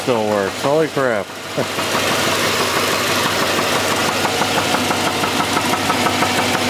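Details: Engine idling, heard from underneath the car with the accessory belt off: a hard, regular knock around three per second that follows engine speed; definitely a rod knock, worn rod bearing.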